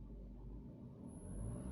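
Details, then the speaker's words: Renault Logan, 30,000 km, with CNG (methane) conversion and Tomasetto AT-12 reducer: a thin, very high steady whistle appears only when running on gas, not on petrol; faulty pressure reducer, replaced under warranty on other cars. "Вот этот писк происходит только на газу, соответственно. На бензине такого нету."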